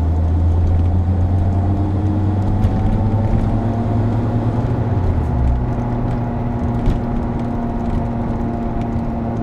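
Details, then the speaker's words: 22-year-old vehicle with 150,000 km, driving: a low droning roar, like a distant airplane, that rises with speed and falls as the car slows; worn wheel bearing. "typical noise can be heard for both symptoms this typical noise rise proportionally to the speed of the vehicle rising while it's taking speed and blower as it's flowing down"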